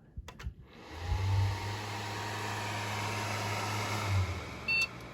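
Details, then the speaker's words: Old Hitachi Deskstar hard drive from a Dell Optiplex GX240, one the owner thought was probably dead, spinning up: smooth steady spindle hum with a faint even whir, no clicking or grinding. It runs normally and sounds healthy. "well it hasn't sounded cantankerous yet"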